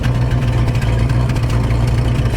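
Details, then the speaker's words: 1973 Ford Gran Torino Sport Fastback V8, sat 3 years, old gas: deep, loud idle with uneven lumpy beat, running rough; needs fresh gas, cause not pinned down. "hope you all enjoyed this video on the Gran Torino Sport it runs it runs rough here have funky is running from the back"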